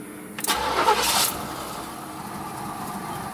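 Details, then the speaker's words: 1977 Cadillac Seville, about 30K miles (believed original), fires right off on start and settles into a soft, even idle that purrs with no knocks or misses; normal start and idle, though the idle may be a little low. "fires right off sits there and purs like a kitten I think the idle might be a little low"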